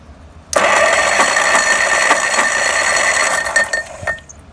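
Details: OMC-powered vintage Capri cart found in barn, starter jumped from battery jumper box, steady high electric whirr for about three and a half seconds then stops; starter cranking freely, previously stuck.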